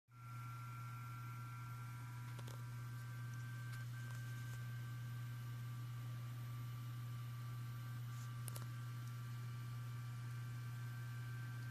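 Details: Seagate 8TB ST8000DM002 hard drive in a new Intenso external enclosure: steady low hum, faint high whine and light clicks at idle, noise stopping during data copying; HD Tune shows damaged blocks.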